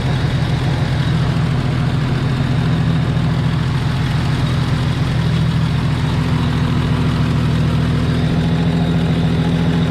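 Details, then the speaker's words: Jeep Cherokee XJ, thought to be early-1990s, first run after sitting four or five years and running very rich: steady idle with a rough, puffing low rumble and a faint rhythmic tick at firing rate from a cracked exhaust manifold. "definitely smells hot has a man of a man of League here oh actually the exhaust manifold is actually cracked so I guess I'm not shocked by that"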